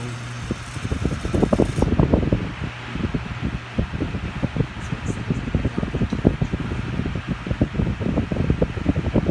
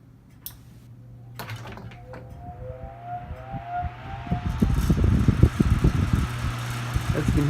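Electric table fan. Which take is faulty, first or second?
first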